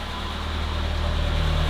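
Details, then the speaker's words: Vintage BMW 2002, after a reseating kit and new spark plugs fixing a misfire: smooth, even low drone at slightly high idle, no stumbles or skipped beats; all cylinders firing cleanly. "That was it. I knew it was misfiring. That's awesome. Dude, that's perfect. It's a bit high, but that's really good."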